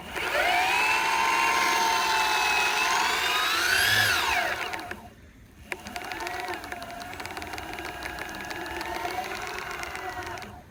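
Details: Boosted Board v1 Dual+ electric skateboard: motor whine rising and falling with speed, with faint light clicks ticking along beneath it from one wheel.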